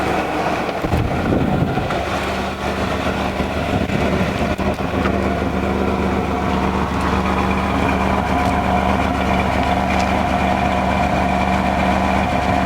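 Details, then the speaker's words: 1994 Chevy Astro van, cold start after about six months sitting on a warmer day, heard at the exhaust: steady even burble, no miss, knock or rattle; running a little rich, not burning oil; normal idle. "Good old regular exhaust, not burning oil or nothing. Running a little rich, but what do you expect? It's sitting. Sounds like it's got a V8 under the hood."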